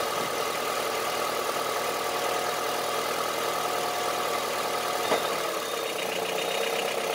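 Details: Honda CR-V III 2.4 petrol engine idling with hard, diesel-like tapping running steadily under the idle; engine knock at idle, source not yet pinned down.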